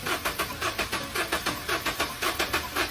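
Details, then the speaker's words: Car bought used that won't start: starter cranks steadily at about two beats a second without firing; fuel injection and spark confirmed normal, a failed carbon-clogged EGR valve stuck open suspected. "engine and fuel injection are normal but the car won't start then only the gas circuit failure is left speaking of gas circuits I now suspect there is a part failure"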